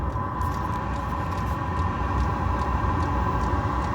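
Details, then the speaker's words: Diesel heater set to top temperature 35 °C, running at full output and starting to get warm; steady blower roar with even pump ticks about 87 a minute as the second heat bar comes in; normal running at full output. "You hear the pump kicking up, second degree coming in, second bar coming in. When it gets hot, you'll notice the difference. It's starting to get warm now."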